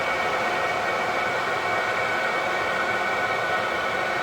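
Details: Diesel heater on an allotment in frozen December, powered straight from a battery, just started and throwing good heat: steady even roar of fan and burner, no pulsing, knocks or rattles; normal running.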